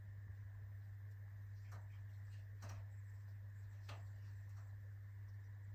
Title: POLAM 40W T12 1988 fluorescent tube hard start